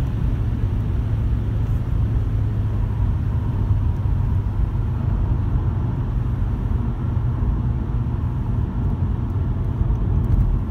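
A deep, steady droning rumble under acceleration with little else on top; a vibration somewhere in the driveline, source not pinned down.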